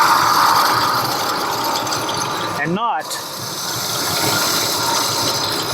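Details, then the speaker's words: 2000 Ford Expedition 4.6 idling: steady gritty whir and light squeal that doesn't change, getting worse; traced to the plain idler pulley bearing, not the tensioner, though it sounded like it came from elsewhere. "I think you can kind of hear it now it's getting kind of worse we have a tensioner and we have the regular pulley I've already determined that it's the regular pulley right here"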